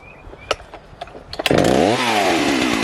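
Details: Jonsered 670 chainsaw, pawn shop purchase, suspected bad or unplugged kill switch: a few pulls, then fires and revs crisply, dips and climbs cleanly; strong healthy two-stroke, normal running.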